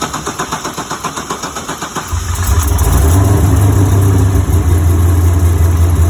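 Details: 2012 Corvette C6Z with larger in-tank fuel pump, before ethanol tuning: steady starter cranking for about two seconds before it catches and settles to idle; long crank before start.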